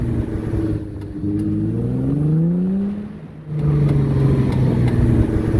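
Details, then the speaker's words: Worn CV joint with play felt by hand: low hum rising in pitch with speed, typically heard with the steering wheel fully turned as the car moves; drone of a worn CV joint. "y cuando el auto va avanzando usualmente suena cuando giras totalmente el volante y el auto avanza a veces también entre más rápido vaya se puede escuchar un zido como"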